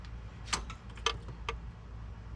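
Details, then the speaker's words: Toyota Land Cruiser BJ45 diesel, key turned two clicks with engine off: sharp ticks about every half second as the fuel system primes for about 5 seconds, ending in a clunk in the engine bay; normal priming. "After about 5 seconds, you'll hear a clunk in the engine bay, and that's the priming finishing."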